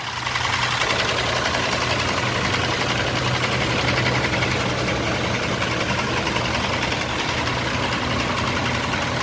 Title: Engine Knocking Rod Knock 6G75 Mitsubishi Pajero #mechanic